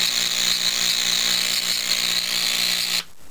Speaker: As you can see, it sparks occasionally. Oh, we got a little streamer coming off the top there.